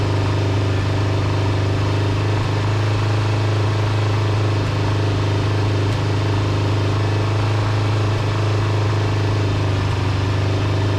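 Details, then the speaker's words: Kawasaki GPz400R track bike, four-cylinder, carbs: uneven spitting idle with occasional stumbles; HT leads checked and correct, owner suspects misfire from bad fuel left in tank a couple of years; carb dripping fuel, possibly float height. "so i checked the htc leads and they're on right um it's running really well i just think it's a bit of dodgy fuel"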